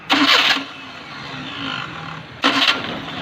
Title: maruti 800 starting problem || maruti 800 starting sound problem || maruti 800 || clutch pedal tight